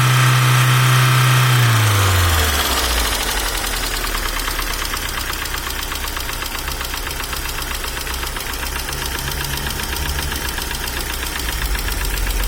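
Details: After startup the engine settles into a fast, very regular light ticking over the idle, about four a second; hydraulic lifter tick, said not to depend on oil pressure.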